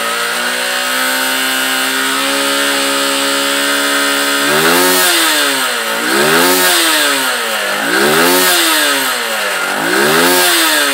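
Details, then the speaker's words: Honda Titan 150 engine revving smoothly in repeated blips after carburettor fuel adjustment (115 jet fitted); earlier misfiring, knock near clutch housing/balancer and top-end rattle now gone, revs rise evenly without oscillation: normal revving. "olha como ela levanta o giro suave antes ela dava aquele toque toque tá resolvido tudo no [Aplausos] motor"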